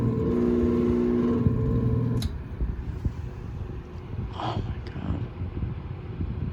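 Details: Vornado fan on low: loud droning hum with fast rattling buzz three or four beats a second then rough rumble; heavy vibration, owner suspects dry bearing rather than electrical.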